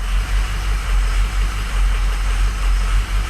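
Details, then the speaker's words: Truck diesel idles lumpy and uneven with a loping beat about once a second, misfiring on at least cylinders 2 and 4. A catastrophically failed EGR cooler is letting coolant into the engine, alongside a busted up-pipe. "We got a busted up pipe and a failed EGR cooler. And it running pretty freaking bad. I mean, it's running bad."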